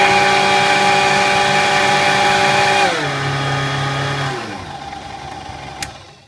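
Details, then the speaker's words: Kenwood Chef A701/A mixer after motor bearing oiling and service, speed control checked: smooth steady hum stepping down in pitch, clean wind-down with no grinding or rattle; strange note is governor contacts switching, all well. "speed I get that strange is correct operation it's the contacts opening and closing it alls well"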